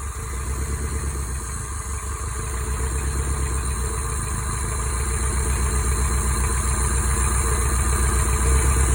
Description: Swapped a bearing into my 5sfte engine that developed a rod knock. Seems like it’s running okay? Send it!